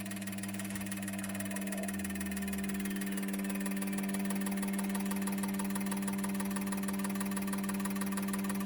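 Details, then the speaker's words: Injectors from a 2002 GM 6.0L LS drive-by-cable engine (likely pickup-bound) all firing; steady electric hum under fast, even ticking about four pulses a second. Camera frame rate likely only makes it look like misfiring. Normal injector firing. "So here you can see all the injectors firing. It's hard to get the resolution on camera of how well the spray pattern is, but I'll try and get you guys in."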